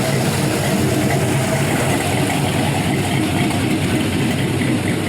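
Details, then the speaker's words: Warm 5.3L gen 3 LM7 LS V8 at 192 degrees with a big cam (228/230 at .050, .585 lift, 112 LSA) and new O2 sensors, on a base tune; deep, loping idle with a rumbling exhaust chop. Normal big-cam idle. "i just love that how these camshafts sound so good"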